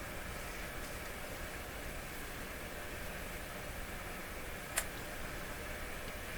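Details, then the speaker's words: Dominion Electrohome TR50 console receiver, dead on AM and FM, tuned to about 100 MHz with a strong FM signal generator connected: only a steady even hiss, no station or tone; cause still unknown. "Okay, we're already on, so we have to tune to around 100. 100 is right where we are. Not a thing. Nothing whatsoever."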